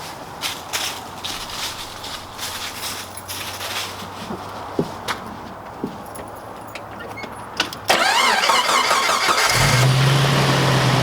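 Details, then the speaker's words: Jeep Wrangler with dead battery reading 2 volts, jumped by NOCO Genius Boost GB40 kept a year uncharged: clicks, short crank, engine catches into steady low idle; starts fine. "Jump started this dead battery, 2 volts, and it started the Jeep. That is amazing."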